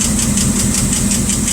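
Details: Rat rod engine warming up after sitting: quick light ticking over a slightly uneven idle with an occasional miss; the valve cover came off and a bent pushrod was found; rockers may need adjusting.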